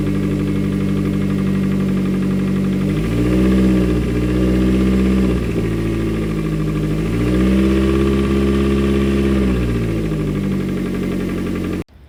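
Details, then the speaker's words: Hyundai Genesis, towed home after knocking began in traffic on a previously rebuilt engine, now idling. A light, fairly regular tapping about four per second rises and falls with small revs; a possible knock suspected in cylinder four. "all right guys so as you guys heard it's knocking a little bit sounds like it might be four-cylinder again"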